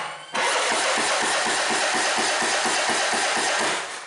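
Starter cranking with rapid, uneven pops over a harsh hiss, the engine coughing without catching properly; suspect valve trouble.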